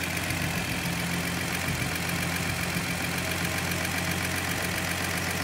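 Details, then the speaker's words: 1972 Datsun Cedric idling after two dirty spark plugs were removed and cleaned; shaking reduced, thermostat possibly not working. Steady, even low-rumble idle, no misses or knocks; smooth idle. "Okay, engine working a bit better. We just took those two spark plugs off, clean up. Engine stopped shaking a bit."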